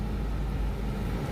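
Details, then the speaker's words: Honda Civic just after battery replacement, test start: steady low rumble with even beat, no knocks, ticks or misses; engine restarts and idles smoothly. "Once that happens, foot on the brake, give it a turn, the car starts right back up. Beautiful."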